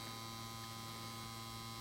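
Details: 1953 Chevrolet Deluxe Two-Ten push-button tube car radio, model 986668, vibrator power supply on bench at 6 V, 0.55 A, transformer giving 625 VAC: soft, steady buzzing hum, constant pitch, no crackle or stutter; normal vibrator hum, transformer good.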